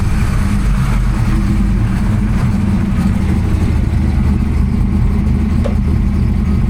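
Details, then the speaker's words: 1992 Ford Mustang Fox notchback, 347 stroker, AFR 185 heads: loud, lumpy V8 idle with uneven exhaust beat; cylinders 7 and 8 injector wires found swapped, to be corrected. "Well, I had John look at his car to confirm what his were, and he found out that the back two wires on seven and eight on his car were swapped."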